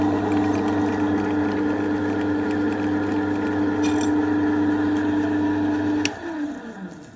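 Steady, even hum with a constant mid tone for six seconds, then a smooth spin-down; small lathe running without knocks or grinding.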